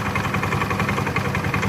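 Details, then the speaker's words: Automatic scooter at idle: a busy, uneven rattling clatter over the engine beat, heard at idle; when opened, the CVT showed a worn V-belt. "Bunyi ini selalu bilang kalau pada saat ini bekas tapi pada saat langsam seperti ini"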